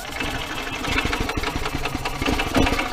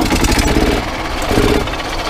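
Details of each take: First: Yamaha golf cart that cranks but won't start: steady starter churning with sputters that never catch because a broken throttle cable leaves the throttle unopened when the pedal is pressed. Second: Yamaha golf cart small single-cylinder engine after broken throttle cable replacement: with choke on, it fires and settles into a steady, even putter with a few throttle blips; runs normally.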